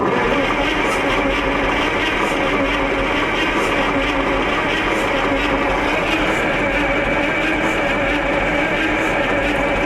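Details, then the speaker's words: Onan 140 WE generator, 884 cubic inch V8, timing adjusted, fed about 6.5 inches of water, throttle closed: long even cranking for ten seconds without firing, only a small puff; battery possibly weak; cranking without starting. "that just does not want to [Music] got a little puff out of it"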